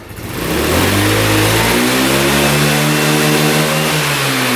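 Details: Free scooter engine after carb clean and valve adjustment catches and revs up smoothly, pitch climbing evenly with no stumble or bog. Healthy revving, shortly before something broke.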